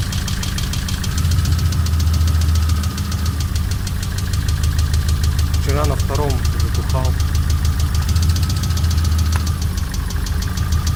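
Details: VAZ 2112 16-valve 124 engine, 200,000 km, warm idle, idle oil pressure 2 bar: sharp steady tapping about three times a second; no knock when cold, hydraulic lifter and oil replacement didn't help; weak coil on cylinder two.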